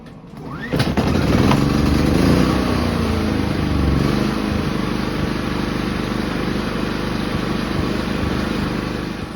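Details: Inverter generator after cleaning the idle jet and reinstalling the carburetor to cure ECO-mode surging: engine catches and settles into a steady, even drone with no hunting or surging, running smooth like new.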